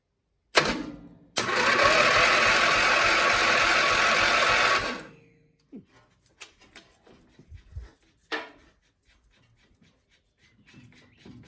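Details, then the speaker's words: Starter cranking a £20 auction MTD Lawnflite lawn tractor with a Briggs & Stratton 12hp single-cylinder electric-start engine, 12 V battery wired straight to the starter; steady fast whirring for about three seconds, turns over but never fires; cranks but no start. "Made noises like it was trying to start then."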